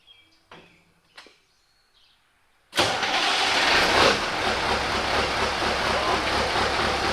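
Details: Mack CL713 truck, pre-emission V8 998 cubic inch with Mack 13-speed, after winter repairs, started in the shop: cranks and catches at once, settling into a steady, even idle with no knocks; healthy cold start.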